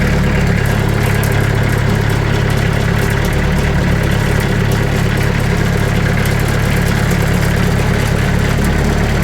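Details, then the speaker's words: Sawmill engine at idle with the blade tensioned to about 500 psi, before door sound-dampening mat is added: steady low idle with a busy buzzing metallic rattle from a loose sheet-metal door panel. "You can hear the rattle, and you can see the rattle right here. So you can kind of hear everything."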